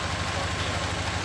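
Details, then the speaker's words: Nissan 240SX drift car, first start after swapping in a replacement KA24DE with healthy compression, new water pump, front main seal and oil pan, no cooling pipes connected; steady even idle, smooth low pulse, no knocks or misses, oil pressure good, sounds healthy. "I can't show it, but sounds good. The motor sounds healthy."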